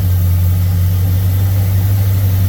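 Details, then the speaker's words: Thunderbird with 302 and Motorcraft 2150 carburetor, after float adjustments for hot-start flooding, warm idle after restart; smooth steady low rumble, no stumbling or surging, not flooding over; fix appears to work, though owner remains unsure why the float stuck. "Not flooding over. I'll run that a couple more times, same test, make sure we're good to go, but I think we got it."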